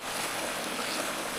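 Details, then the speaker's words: Gravity siphon gold dredge suction hose broken and drawing in air, which stops the suction; steady airy hiss with no engine underneath, leak heard but not yet located. "Let me see if it's taking in air. If it takes in air, then it stops the lead."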